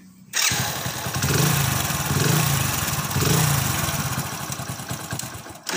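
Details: Hero HF Deluxe motorcycle after a self-starter motor noise fix: the engine catches and settles into a steady idle, with no grinding or whirring from the starter.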